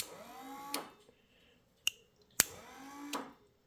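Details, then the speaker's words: Toyota electric diff locker wired with two relays: a short actuator motor whir winds down into a sharp relay click at the stop, twice over; normal relay click at actuator limit. "So you can hear the solenoid or the relay click when it reach the limit."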